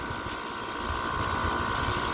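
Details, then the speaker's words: Upstairs outdoor AC unit, which took four tries to start (clicking on and off), now runs with a loud steady fan roar and hum; quieter than at start-up but still louder than the other units. "but it's still louder than the other units I'm concerned that this AC unit is got problems and maybe getting more and more damaged and need some attention"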